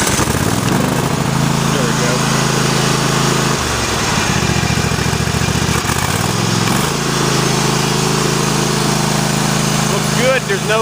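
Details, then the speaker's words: Kohler CV740S V-twin (about 25 hp) on Sears Craftsman tractor 917-275-285, idling in cold weather after new engine breather plate and gasket fixed oil leak; even steady beat with brief speed dip recovering cleanly, no misses, no leakage. "Running great. Absolutely great."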